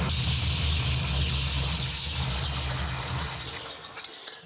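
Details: 1974 Chevrolet C10 carbureted engine on choke: a steady, even low rumble with a smooth lope and no stumble or hiss. It is the first idle since purchase, after a vacuum leak was fixed by replacing the vacuum port plug; normal idle.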